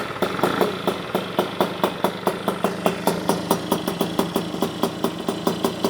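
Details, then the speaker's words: Puch Maxi with full Polini 65cc kit, freshly built, warmed five minutes: light two-stroke putter at roughly four beats a second, fairly even but thin and sharp. Idle set smooth, but the owner suspects lean jetting; not confirmed. "So I think the idle is now turned on very smoothly. I think we still have to do something about the jetting. There's a bit of a shortage of gas, I think."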